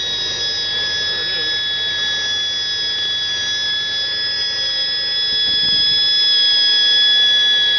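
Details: 1971 Chevy Nova 260 inline-six with Offenhauser intake, Holley 390 carb and split headers, idling quietly under a steady high-pitched whistle from a vacuum leak, before repair.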